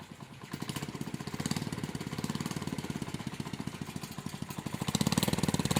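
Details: Honda Monkey Z50J engine start, before the exhaust leak was fixed: sharp puffing tick on every firing pulse, about a dozen a second at idle, with a tinny buzz; exhaust leak and rattling protector/heat shield.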